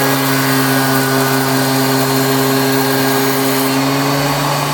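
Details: Planer cut after fitting a Grizzly spiral (helical) cutterhead to a 13" DeWalt planer: steady motor hum with smooth, even cutting hiss, no chatter or knocking; owner finds it much quieter, the dust-blowing motor now loudest; feeds cleanly.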